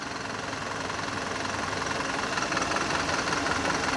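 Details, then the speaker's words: Mitsubishi Canter Euro 4 diesel at idle during a scan-tool injector cutout test, cylinder 1 disabled: limping, uneven beat of about three pulses a second, returning to normal when re-enabled. "ini bisa kita nonaktifkan secara satu persatu di silinder 1-4 kita cek ya rindu satu dulu nanti mesinnya akan pincang goyang"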